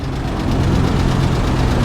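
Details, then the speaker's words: 1985 GMC Sierra V8 at idle, hood open (battery dated 2012): deep rumble with light quick tapping, suspected lifter tap from the passenger side; engine also has a misfire apparently on one cylinder; owner wonders about a collapsed lifter. "Sounds like a lifter tap. Yeah, that's a lifter tap, and it's coming from this side."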